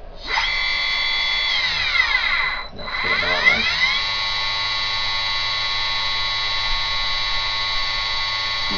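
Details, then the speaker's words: Generic 2.2kW water-cooled Chinese spindle, about two years old and slightly noisier than new, starting up and stepping 6,000 to 24,000 rpm: steady high clean whine after brief dip; running normally. "it's about 2 years old so which is a bit noisier than when I got it in the original video but not too sign the difference isn't too significant"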